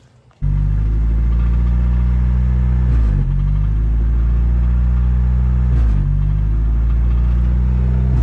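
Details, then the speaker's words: 1992 Toyota 4Runner with 4-cylinder 22RE and G58 transmission: idle dips and stumbles about every three seconds, then recovers, when brakes are pressed; temporary fix plugs a small hole in the MAF intake boot with JB Weld. "so today I'm going to show you guys how to fix that nasty engine stutter when you guys press your brakes."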